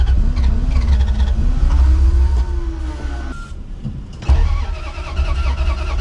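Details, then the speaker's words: 1989 Dodge D250 that sat over 12 years, cranked: the starter churns in bursts with pauses and never catches; fuel is not reaching the carburetor, and the owner wonders whether the fuel pump is dead. "I think we got something else wrong. Not as easy as I hoped it was going to be. Just not getting fuel up to the carburetor. I wonder if the fuel pump's not working."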